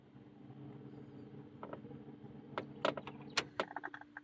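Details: 6.0 truck, engine off, blower motor working after replacing the blower motor (it only ran on high) and then a cheap eBay blower motor resistor, which fixed it: steady, even fan hum with some handling clicks; normal blower operation.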